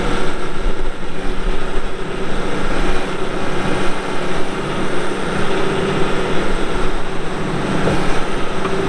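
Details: 2006 Caterpillar D4G XL dozer, 87 hp pre-emissions diesel with pre-lube system, 13,067 hours: deep, steady diesel rumble with an even firing beat and no knocks or rattles; healthy engine at idle.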